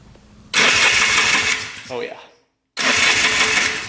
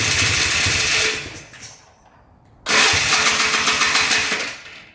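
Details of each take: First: 2001 Polaris Xplorer 250cc ATV with a replacement engine, cranking after the clutch backing plate was refitted correctly: two steady smooth whirring bursts with no grinding or catching, so the clutch no longer rubs the cover. Normal cranking. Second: 2001 Polaris Xplorer 250cc two-stroke ATV with a replacement engine on its first start, running 40:1 premix. It revs to the moon, falls off and races back up, and the idle won't come down. An air leak is suspected; carb boot to be sprayed.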